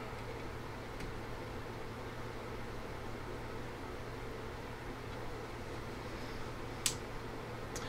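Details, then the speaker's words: Swiss Pirate 403 AM radio fitted with an FM receiver module powered from the 6.3 V supply; steady low hum under faint hiss even at zero volume, ripple like bad smoothing caps coming through from that supply. "we have almost what sounds like you know bad smoothing caps in the power supply so that six point three volts is problematic"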